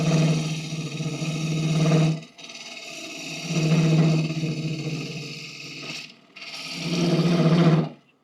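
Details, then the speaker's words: Roughing out a deep maple bowl on a lathe: three rough, rasping cutting bursts over a low drone, each ending abruptly. The chatter means the tool rest is set too high, which previously preceded a bowl popping out of dovetail jaws. "yeah that noise usually means I have my tool res a little too high and I'm glad I caught that"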